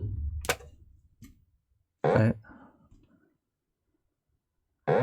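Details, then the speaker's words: Hitachi TRK-510ER transistor radio, playing a tape: slow, uneven low booping bursts with silences between. "the tape spindles on going around and we're getting a very strange noise coming out of here"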